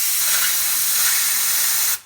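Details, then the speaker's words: DIY vapor blasting cabinet tested with water only, compressor charged and water pump not running: compressor air alone draws water out, giving a steady hard even hiss for two seconds then cut off. "Right, I got the compressor charged up. As you can see, the pump's not even running, and the air coming out the compressor's enough already"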